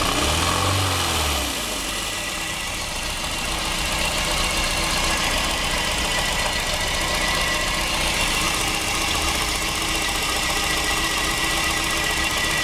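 A rev fades into an uneven, shaky idle, with pulses near four per second that keep dropping out; the engine is misfiring.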